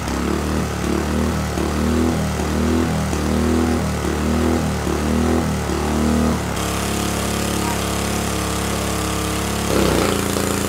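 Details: See-through single-cylinder engine with turbo and an adapted EFI, on the dyno on 87-octane pump gas: it surges in waves about once a second, then settles into a steady hard full-throttle pull under load, running clean and making 4.6 horsepower.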